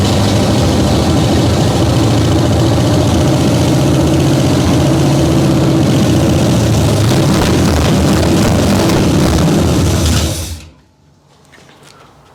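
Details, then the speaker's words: Abandoned 1968 Camaro small-block Chevy V8 at first start on used junk parts, timing seems good, possibly fuel-starved: heavy loud idle with a steady rapid clatter about four per second before shutting off; owner suspects exhaust clatter, unconfirmed. "Okay, well it runs-ish. I think it has like an exhaust was clattering or something, but who knows what's gonna sound on camera."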